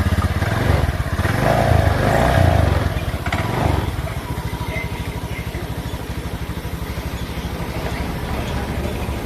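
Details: Honda Beat scooter, after reconnecting a broken wire fixing clicking no-start and MIL code 52; catches, revs briefly, then a steady even putter about three beats a second, healthy idle.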